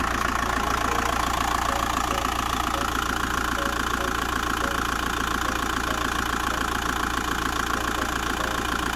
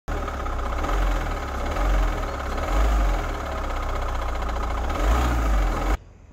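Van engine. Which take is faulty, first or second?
second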